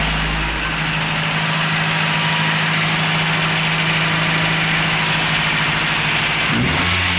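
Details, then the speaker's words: 1989 Toyota Hilux 22RE, first start after owner's first rebuild at 299,885 miles (worn cam), no radiator fitted, clutch held in: steady four-cylinder idle with brief rev, no knocks or ticks; healthy. "That's my first time doing a rebuild on an engine. Had it all out by myself. Sounds good."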